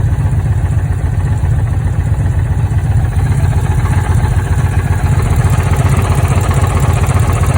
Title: Challenger misfire codes